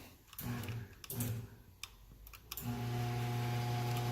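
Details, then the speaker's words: Craftsman garage door opener, model 139.53627, turns on but won't open the door: clicks, then a steady unloaded motor hum as the motor spins without moving anything; the spider drive gear is stripped. "happens it just makes that noise as you can hear it's trying it's trying but it's not doing anything"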